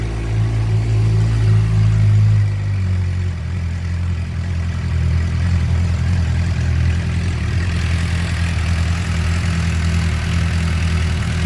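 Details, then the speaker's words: 2007 Suzuki GSX-R 600 with a newly wired ignition (previous coolant-in-oil and water pump seal issues), fuel pump running: the four-cylinder settles from a higher start-up speed to a smooth, steady idle with no knocks. "so here we go you ready oh yeah sounds good fuel pumps running"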